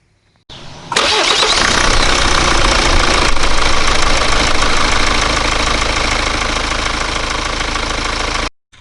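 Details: 2014 Hyundai Santa Fe DM 2.2 diesel AWD, 285,000 km, just after fitting a new serpentine belt: cranks briefly, catches cleanly and settles into an even, steady idle with no belt squeal or chirp.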